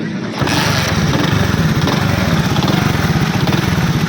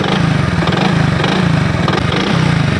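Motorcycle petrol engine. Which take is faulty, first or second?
second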